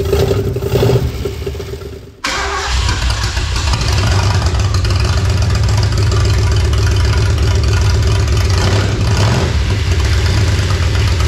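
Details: 1976 Ford Bronco Sport parked 30 years, after ignition repair, choked with extra fuel: cranks, catches after two seconds, then loud uneven low drumming at fast idle that never settles; running rough, oil pressure gauge hose leaking.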